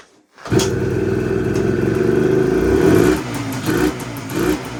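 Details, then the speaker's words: 1980 Suzuki TS185 two-stroke enduro stored outdoors under a tarp for over 20 years, first start attempt: engine catches and buzzes, then stumbles and surges in uneven smoky bursts, sputtering and not yet running cleanly. "Okay, signs of life, that's good. I can hear it kind of wanting to go. Whoa. Getting there."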